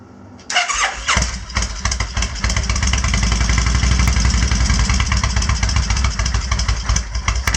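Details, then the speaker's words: Kawasaki Vulcan 1500 after finding a dead fuse and priming the fuel pump: cranks, fires and settles into a loose, even lumpy idle without misses once the choke is off; sounds better without choke, normal idle. "might do that again because it sounds a bit better now without the choke idles down a bit"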